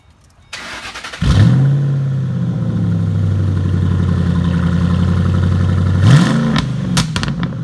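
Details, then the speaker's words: 1974 MGB during restoration, cold start after valve adjustment: brief crank, catches and flares up, settles into an even fast idle with a short blip; sounds good, though a rod issue still awaits repair. "sounds good"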